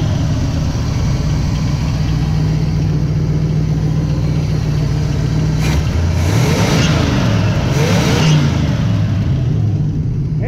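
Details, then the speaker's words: 1977 Pontiac Trans Am V8 after a carburetor rebuild, a newly fitted electric choke and plugged vacuum leaks: a steady, lumpy idle, then crisp throttle blips with no stumble. The accelerator pump now works and throttle response is better. "the accelerator pump works now all right it's cool yeah I've got a few vacuum leaks plugged up that's electric choke working I guess it works yeah that's a lot better it's got better throttle response"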